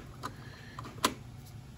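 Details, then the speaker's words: Heating system in a home with a 6-zone Argo switching relay: faint, light ticks at irregular gaps of roughly half a second over a quiet hum coming from the relay area; relay chatter suspected, not confirmed. "donc nous obtenons des bruits de tic-tac d'accord à partir de là c'est là que le relais"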